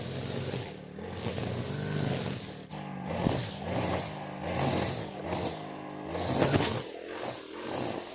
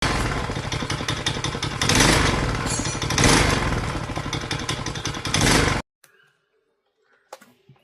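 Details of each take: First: Honda GX35 brush cutter after a valve tappet clearance adjustment and clutch replacement that fixed a metallic ticking. The small four-stroke now runs with a steady buzz that swells with throttle and no top-end tapping. Normal running. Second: Honda GX35 brush cutter at high speed: fast light metallic ticking like a sewing machine over the buzz, valve tappet clearance out of spec; fix is tappet adjustment, plus worn clutch replacement.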